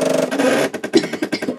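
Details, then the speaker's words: Pfaff Creative 4.0 computerized sewing machine at power-on while it boots: a short buzzing whir, then quick stuttering motor pulses as the machine calibrates itself. This is normal startup calibration. "me and that noise was the comp the machine calibrating itself"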